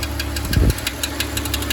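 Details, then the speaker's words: 2005 BMW X3, M54 engine: quick, steady ticking about seven a second at smooth idle, heard near bell housing/flywheel opening; source unconfirmed, possibly transmission area or starter replaced earlier. "And that's the flywheel spinning around there. It sure sounds like it's coming from there."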